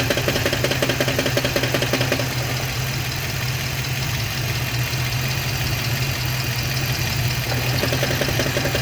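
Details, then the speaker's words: Idling car with a quick, even ticking knock (~160/min) while the clutch is engaged; it stops when the clutch pedal is pressed and returns on release, so it is clutch-side. Cause not confirmed. "okay hopefully we're able to hear that if you hear it um when it was clinking it's when i when the clutch is just on it's it's engaged it's not engaged i'm not stepping on the pedal when it's not clunking or when it's not ticking or knocking is when i press on the clutch that means that something something is going on"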